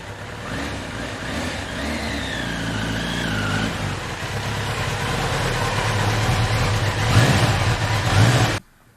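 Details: 1993 Kawasaki Concours running after sitting about two years unlicensed, checked for hydrolock and found none. Steady, even four-cylinder beat with a smooth low drone and no knocks or rattles. Running cleanly.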